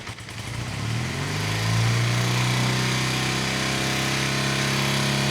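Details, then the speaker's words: 1972 BMW R75/5 airhead twin, Bing 32mm carburetors just synced and tuned, idle just under 1,000 rpm, revved to about 4,000 rpm: revs climb quickly and hold a steady, clean even drone; both cylinders pulling equally, normal. "And just from the beginning of the video to the video now, you should be able to tell, listen to the throttle response. Man, this thing is a really, really good runner."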